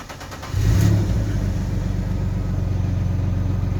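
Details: Alfa Romeo 156 GTA after a radiator fix, started after a scan showed a lambda sensor invalid-signal fault with no engine warning light. The engine catches after a brief crank and settles to a steady, even low idle with no knocks or misses; it runs healthy.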